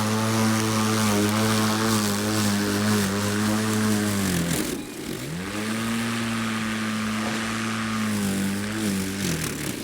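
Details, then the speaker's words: Electric mower/dethatcher cut about an inch below its usual 2.5 in setting in very thick renovation grass: motor drone sags and dies mid-pass, spins up, drops again when it catches; motor cuts out under load. "the difference is I think with gas too is that you can hear the motor on here when it starts to catch it just cuts the motor off"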